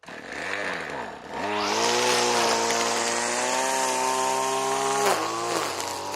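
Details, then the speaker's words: RedMax two-stroke weed eater that sat for years, run on spray-bottle mixed gas with bad carburetor: high-revving buzz that drops sharply on throttle release with a clunk, a knock on let-off that doesn't sound good. "Okay, throttle works, Hear that knock when I let off? That don't sound too good."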